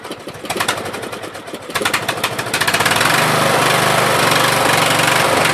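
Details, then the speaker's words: Craftsman LT1000 16HP 42-inch lawn tractor, first start after new fuel lines and filter, on choke: engine climbs to a chugging run that rises and falls as it hunts and won't stay running off choke; oil residue in muffler. Engine surging. "okay so it does move forward I didn't get a chance to go backwards yet but as you can see it surges a little bit and it doesn't want to stay running other than choke"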